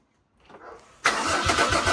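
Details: 1984 Mercedes-Benz 380SL with swapped OM603 turbo diesel, after glow plugs: brief crank, catches instantly and settles into steady diesel clatter without stumbling; clean first start.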